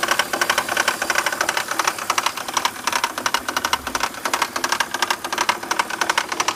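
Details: BMW 323ci at idle: fast, steady metallic clatter about one and a half beats a second; cause was loose bolts on the power steering pump pulley, fixed by tightening.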